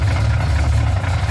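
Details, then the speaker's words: Ford F-150 with a 351 small-block Ford bored .030 over, Pro Max aluminum heads, retrofit roller rockers: idle with a fast light diesel-like tapping that stops around 1200 rpm. Oil pressure and rocker geometry look fine, noise persists with the belt off; aluminum valve covers may transmit it; cause unknown. "We pulled the belt, still same noise. It's the first time I've actually ran aluminum valve covers."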